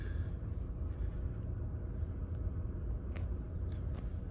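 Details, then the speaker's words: 2019 Chevy Equinox after all four spark plugs were replaced for a misfire: low, even idle rumble with no stumble or stuttering, zero misfires on all cylinders. "engines running smooth no more stuttering or anything like that"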